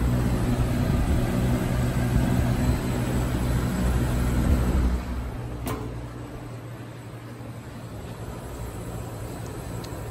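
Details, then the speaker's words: 1980s Super dehumidifier, Samsung 1/6HP reciprocating R-12 compressor, broken fan replaced by a box fan; coils getting cold with ice forming; steady, smooth low hum under the fan rush: the compressor is running normally. "oh yeah it's starting to get cold here too yeah it seems to be working now"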